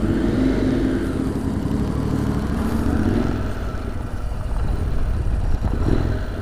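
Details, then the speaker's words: Motorcycle running on about 3 litres of diesel mixed with petrol, after sitting 4 hours: blipped to keep it going, revs sag and it nearly dies, then picks up unevenly; runs okay warm and under load, poorly cold; near-stall from diesel-contaminated fuel. "seems like it runs okay as long as it's warm when it's cold well then it doesn't really work well"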